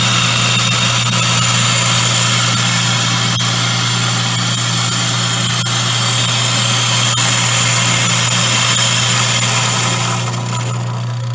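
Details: Grindmaster 890 series coffee grinder, grinding beans into a bag held against the bag switch after start is pressed: a steady loud motor drone with a constant grinding hiss, even throughout and easing off at the end, so it is running normally.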